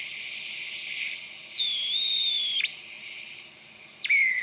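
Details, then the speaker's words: Newly built 7-transistor AM radio kit at first power-up, before IF alignment or tuning. A high piercing whistle jumps and slides in pitch over hiss, an untuned heterodyne squeal, with a station probably nearby. "Way out of tune, but it's picking up something. I feel like there's probably a station right in there."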